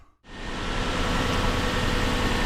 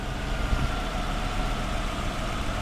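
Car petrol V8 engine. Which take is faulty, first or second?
second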